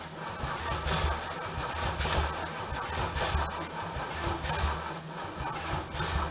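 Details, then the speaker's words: Engine cranked on the starter during a dry and wet compression test, spark plugs out: an uneven, lumpy beat as each cylinder comes up against compression, normal cranking without firing. "see the action that we're performing there and notice how lumpy it sounds because we're coming up against compression"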